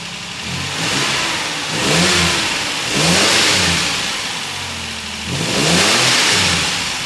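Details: 2.8 Special Xpack engine, freshly set valve clearances, unstarted for two to three days, previously spluttering and cutting out: smooth running with gentle speed rises and falls and no valve tick; normal idle, regulator still to be checked.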